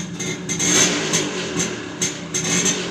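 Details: TVS XL Super moped after replacing the clutch bell, clutch shoe, kicker spring and oil seal to cure clutch noise: a small single-cylinder buzz rising and falling with throttle blips, with no clatter or slipping. Normal revving.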